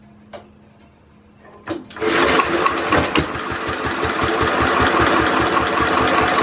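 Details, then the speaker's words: Simplicity Landlord 2010 tractor engine after timing fix and new flywheel key, carburetor not yet tuned; catches after a few cranks into a steady thump about four times a second. Owner suspects a rod knock; oil leaking from a seal missing its bottom half. "I think it has a rod na which is not good something sounds a little bit off on the engine"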